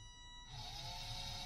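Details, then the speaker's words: DC motor driven by Arduino PWM through L298N H-bridge, potentiometer just above zero: thin steady high whine and hiss, motor not turning because power is too low to start it. "you can hear the hissing the power is not enough to start the motor"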